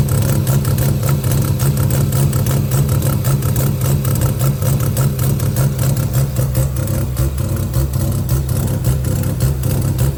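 Loud low rotary idle with an uneven, lumpy beat and occasional dropped pulses rather than a smooth hum; it's misfiring at idle.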